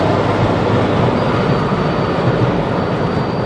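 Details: Jeep TJ Wrangler: thin steady high whistle over road and engine rumble when lifting off the gas, only after over 5 minutes at highway speed; usually stops after a few minutes at idle; cause unknown.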